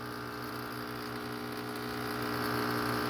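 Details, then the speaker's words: SunSun 304B canister filter pump: steady motor hum with light fast buzzing rattle about four a second, ongoing six months; filter trays damaged, cause otherwise unclear. "assuming you can hear that rattling sound it's been doing that for the last six months or so it's been getting on my nerves"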